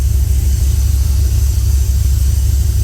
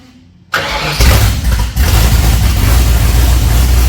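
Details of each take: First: 302 V8 with Holley Sniper 2, cold start after priming the fuel pump, no tailpipes fitted, starts on first key turn; deep, even rumble with steady lope, no ticks or knocks; normal idle. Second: 302 V8 with Holley Sniper 2 fuel injection, low on water, about half an hour total run time, starting instantly; lumpy, uneven idle as the idle control hunts; running very rich and smoky, conking out at idle.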